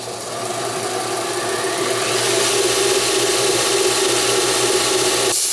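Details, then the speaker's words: BUCKTOOL 1x8 belt sander on high speed, grinding annealed mild steel with moderate pressure; steady gritty hiss over an even motor hum with slight drag, cutting normally under load. "so I was actually pushing not super hard but hard enough to do that and a little bit of motor drag but nothing crazy so yeah that's cutting it down pretty well"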